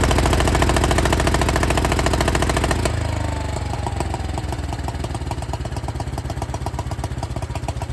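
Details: 1972 John Deere 110 garden tractor, hard start: loud run dropping to a lumpy, uneven idle about three and a half pulses a second; single running rough, owner believes blown head gasket.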